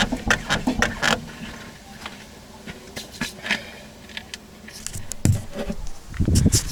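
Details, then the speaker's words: Rear strut of the parked car, camera resting on the wheel while the car is rocked: dull knocks and short squeaks from loose, rattling spring cups; knock present for 10,000 km, fixed by dismantling the strut. "Короче, и скрип, и стук, и все тут есть."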